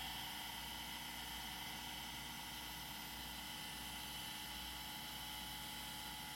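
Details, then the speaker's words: Old IDE hard drive on test after jumper change: quiet steady high whine with faint hum at even pitch; platters spin up and run normally, drive recognized. "That is definitely a new spinny sound so that one is spinning"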